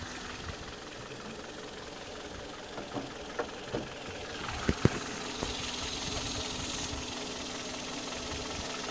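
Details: 2008 Kia Ceed, 104,000 km, Mobis 5W-20 oil, valve clearances within spec: quiet idle with a few sharp, uneven knocks that come and go; engine knock at idle, cause unknown.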